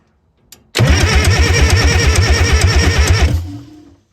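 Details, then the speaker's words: Cat 922B loader diesel cranking: lumpy uneven beats for about three seconds, never catches; washed number 2 and 4 injectors not holding, blowing compression/combustion gas back into the pump and aerating the fuel system. "That'll be where my air is constantly coming into the fuel system. Number 2 and number 4 injectors are washed or they're not holding. And consequently, they blow compression air or combustion back into the pump."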